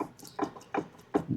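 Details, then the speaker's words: Jeep CJ7 differential, water in the oil, teeth missing, open carrier with loose center pin: four or five light hollow clunks as the pinion is rocked up and down; worn pinion play. "Teeth gone. More water. More teeth gone. Uh, if you can hear that, that is the pinion"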